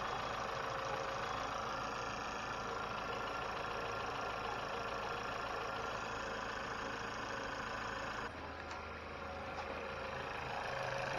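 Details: 2020 Chevy Malibu 1.5 Turbo just after vacuum pump replacement, first start, no fuel leaks or check engine light: steady, even idle with a smooth hum and no knocks or misses; normal idle.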